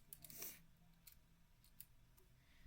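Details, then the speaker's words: E-White Tofu keyboard with lubed Zealios v2 switches and clipped GMK stabilizers: sparse hollow clacks and rattling as long keys are pressed. Stabilizers possibly misaligned, since their return relies on the keycap spring. "what you can hear rattling away is these stabilizers because the return on those is from the spring of the key cap and these might not be in a line"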